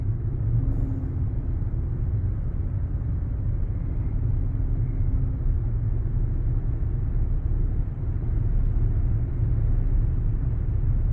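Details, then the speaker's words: Ford Taurus SHO cruising after a front wheel hub assembly replacement (Dorman hub): low steady road rumble with no growl or hum rising with speed, and the turbos are audible. The wheel bearing sounds normal. "She's quiet. So quiet now. Yes. I can hear the turbos"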